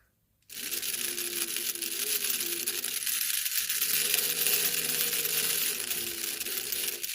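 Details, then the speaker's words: Old 3-volt toy steam-engine train, repaired, with metal gears, running: thin high-pitched motor whir with uneven scraping rattle as a part catches and drags on one wheel; freed, it then runs. "Something's dragging on it. Something's catching on it. I think this right here gets caught on that one wheel."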